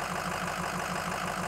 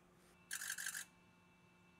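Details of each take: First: 2007 Ford F250 6.0L Power Stroke diesel, warm, idling in drive against the brake: lumpy uneven beat and felt vibration, rough idle; owner expects P0263 cylinder 1 injector contribution/balance code to return, injector electrical or fuel fault suspected. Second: 2007 Ford F250 6.0L Power Stroke diesel, suspected injector fault (pending P0263 cylinder 1), AutoEnginuity injector buzz test, engine off and cold: quick rattling burst of all injectors then single crisp clicks one at a time; cold injectors sound fine.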